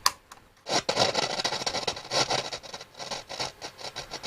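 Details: Hacker Mini Herald RP17 transistor radio: turning the volume pot gives rough crackling and scraping bursts with no steady tone; scratchy volume pot, owner also suspects a shorted capacitor putting DC on it.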